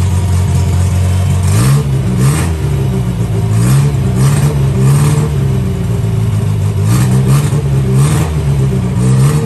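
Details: 1963 Austin Healey Sprite 1098 cc four-cylinder, first start in almost a year after swapping Weber carb for SU, new plugs and ignition timing turned back: catches and runs with clean rev blips and no popping; normal running.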